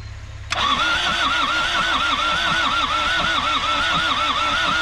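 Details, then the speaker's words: Isuzu P'up four-cylinder turbo diesel mini truck, sitting 28 years, now with fuel; starter churns the engine in a steady, even wavering rhythm but it never catches; cranks but won't start, cause unconfirmed. "it sounds like it's trying to do something so let's let's give it a little help in hand with this and see what happens"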